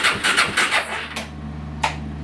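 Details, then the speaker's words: Suzuki LT-R 450 quad, quick uneven cranking bursts and a final crank, never running; very weak intermittent spark on a swapped plug, rusted coil ground post found; CDI later judged faulty and replaced. "we are definitely having intermittent spark issues"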